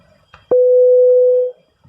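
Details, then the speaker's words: Opel Astra H CD30 radio during divorcing from its GID display via OP-COM, display theft protection already activated: one clean mid-pitched beep about a second long; the radio is still in delivery mode. "We only hear that beeping, which means that the radio is still in delivery state."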